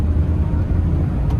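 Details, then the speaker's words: Maruti Alto K10 petrol after engine overhaul (head cleaned, new head gasket, carboned pistons cleaned, timing set), 85,708 km, road trial: smooth, even drone pulling with no stumbles or skipped beats; the missing and jerking are gone and no warning lights show. "तो देखिए गाड़ी में कोई missing नहीं है किसी प्रकार की भी। झटके वगैरह बिल्कुल खत्म हो गई गाड़ी के।"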